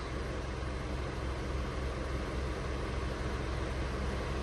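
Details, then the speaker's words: Mitsubishi 4D56 diesel with code P1275, hard start and knocking, restarted after ignition off; even steady clatter at idle, very normal sound, no knocking or misses. "ونشغل بسم الله لاحظ انه صوتها طبيعي طبيعي جدا"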